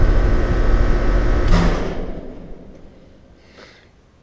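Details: Heat pump outdoor unit with compressor common reconnected: loud low hum, then a single heavy thump as the unit cuts off and coasts down quietly; thump on shutdown, fan motor to be changed.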